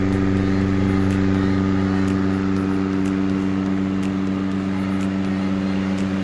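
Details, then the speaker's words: Restored mid-1990s Crompton Greaves TransAir 9-inch (250 mm) exhaust fan, installed, with fresh bearings: steady even low hum at constant pitch, quieter than before, no rumble or ticking. Normal running. "So now let's switch it. As you can see, due to fresh bearings, it's more silent."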